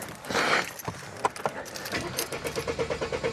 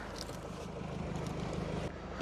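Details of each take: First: Mercedes cranks at about nine even pulses a second but never catches; no power to fuel pump from blown/loose fuel pump fuses, fixed by replacing fuses and clearing codes. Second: Mercedes that cranked but would not start, fixed by replacing a blown 15 A fuel pump fuse and a loose 25 A fuse, then clearing codes. Quiet, steady idle with an even low hum and no misses or knocks. Normal idle.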